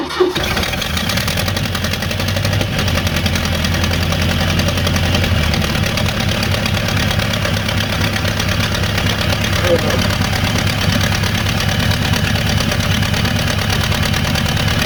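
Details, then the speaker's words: 1986 Ford F250 being revived, restarted after a stall: catches at once and settles into a steady, even idle with no misses or knocks; sounds like a lot of vacuum, running normally. "These sound nice. I'm sure there's a lot of vacuum too. It's running."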